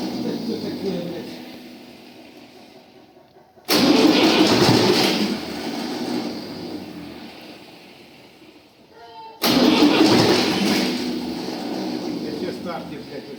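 Two long bursts of steady starter churning, about three to four turns a second, that fade without the diesel catching; fuel not yet primed.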